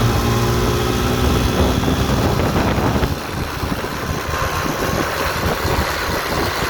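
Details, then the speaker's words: 1958 Johnson FD-12 18hp two-stroke outboard on a Sea Nymph 14R, new points and condensers: busy, buzzy idle settling after a few seconds, firing steadily with a light rattle from the aluminum hood; normal running. "It actually started when I got the motor. It had been sitting for a lot of years, and it fired right up. So it's a good runner."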